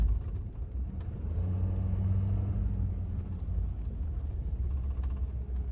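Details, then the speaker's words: 2014 Ford F-350 driven straight at about 30 to 40 mph on clean blacktop to check for wheel bearing noise: even low road rumble, with no growl or hum rising with speed. No wheel bearing noise. "Seems smooth."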